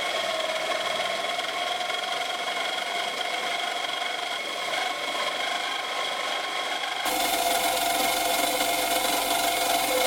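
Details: 1998–2002 Honda Accord 2.3 L four-cylinder running with harsh raspy grinding and metallic rattle from a failed alternator bearing, metal shavings found on alternator; fixed by replacing alternator.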